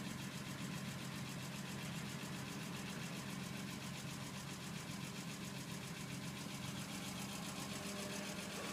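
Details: BMW E46 M3 at steady idle: fast, light sewing-machine ticking over the engine, suspected valve train clearance needing valve adjustment; not confirmed.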